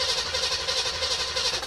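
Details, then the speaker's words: 1973 Chevelle with a freshly installed 327, cranking with all plugs in and showing 30 lb oil pressure. An even, quick cranking beat with no knocks, scrapes or hesitation; it sounds healthy at crank. "we'll take it we'll take it sounds healthy at crank"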